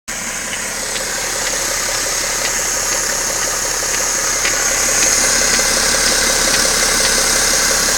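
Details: BMW 530xd diesel idling steadily with a sharp, regular ticking knock about three times a second; engine knocking, source unknown.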